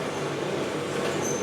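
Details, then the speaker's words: Simpson EziLoader clothes dryer, model 39P400M-V1, running with the heating element on after a belt replacement: steady rough rumble with a faint high squeal as the drum turns; worn drum support bearing that holds the drum. "so it turns out that that noise I was hearing was because the bearing was shot"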